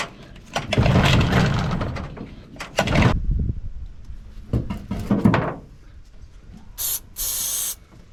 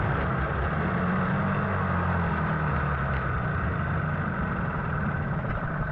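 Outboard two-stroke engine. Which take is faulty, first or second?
first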